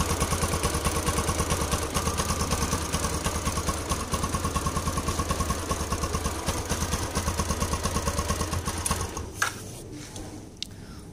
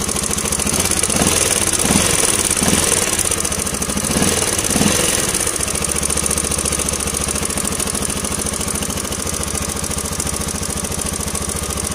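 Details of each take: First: Yamaha LC135 motorcycle after replacing a slack timing chain, coolant and oil refilled: steady, even idle with a regular beat and the earlier rough chain rattle gone; normal, healthy idle. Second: Yamaha LC135 single-cylinder at idle with blips; fast metallic chatter over the beat, loud and clear; mechanic believes the timing chain has gone slack, timing chain rattle.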